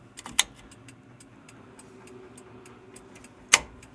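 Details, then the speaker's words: Project car with the key on and engine off: the turn signal flasher relay ticks steadily about three times a second, with two sharper clicks, but no lamps light; owner suspects the stock turn signal stalk. Cause unconfirmed. "Like, I can hear it clicking. I can hear the flasher relay clicking like this."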